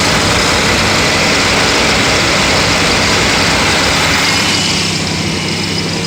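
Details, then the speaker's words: Pontiac Aztek being checked for overheating, engine idling: loud, steady roar of rushing air from the cooling fans on high speed, easing slightly near the end; fans work, overheating cause still unknown. "okay so let's check the high-speed [Music] I can hear them running"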